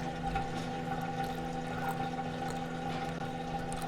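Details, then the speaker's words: LG front-load washer after drain pump replacement (4681EA2001T), on drain/spin cycle: steady quiet pump hum with water gushing, no grinding or rattle; normal draining. "now we're gonna go straight back to draining spin as you can hear is draining the water"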